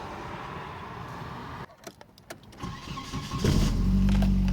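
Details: Volvo 940 that stalled at stops and started hard, after resoldering fuel pump relay: a few quiet clicks, catches after about three seconds, steady even idle. Normal start and idle.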